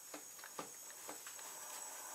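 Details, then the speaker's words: 1999 Yamaha Wolverine 350 4x4 with low compression that shuts down after warming up, leak-down test at TDC with air fed into the cylinder: steady, soft hiss with light clicks, and air comes out the carburetor. The leak is past the intake valve. "Okay, so we've completed the leak down test. You can hear we're getting air coming out the carb"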